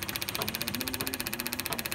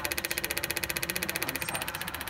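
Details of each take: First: Turbocharged engine with a boost controller problem, at idle: fast, sharp, regular clicking of about fourteen per second; the source is not pinned down and the cause is suspected, not confirmed. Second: Boost-control actuator clicks rapidly and evenly over the running engine after a new sealed Weather Pack plug was fitted. The plastic loom was moved off the hot side. The actuator is cycling normally.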